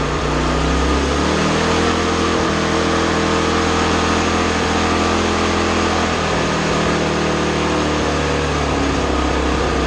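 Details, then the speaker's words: 2020 Toro TimeMaster 30-inch self-propelled mower: the buzz climbs past the factory-set speed and holds a high, strained pitch; with the governor it could rev all the way up, which the owner says is not good: engine overspeed. "And that's kind of where it was, factory set without the throttle. With the governor, we could go all the way"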